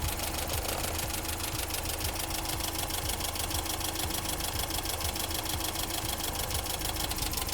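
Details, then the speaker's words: BMW E30 318i automatic, warm at optimum temperature, after fan clutch given a whack: steady idle with busy tick under strong airy rush as fan clutch kicks in, blowing harder than before; temperature now holds at half, fan clutch working. "I can hear it now it's just started kicking in it's definitely harder stop than it was before"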